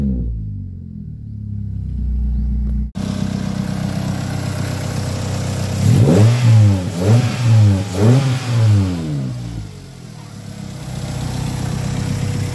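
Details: Ford Lynx after a crank-no-start fixed by repairing corroded terminals that cut power to the main relay and ECU: engine settles into a steady run, then quick throttle blips rise and fall cleanly; running normally.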